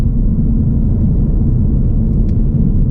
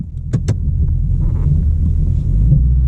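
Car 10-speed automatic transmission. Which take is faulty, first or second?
second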